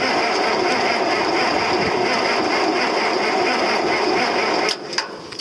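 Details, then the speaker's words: Cold tractor (4320) on a cold day, cranking steadily at about three to four turns a second without firing; it needed a shot of ether to start, a hard cold start. "No, she's going to need a snort. It is cold. It's not warm out"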